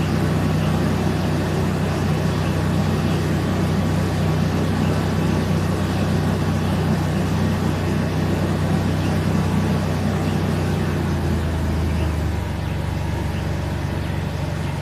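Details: Mercedes W163 petrol SUV idling smoothly after a misfire on two cylinders was fixed, with a steady low hum and no stumbles or uneven beats; normal idle.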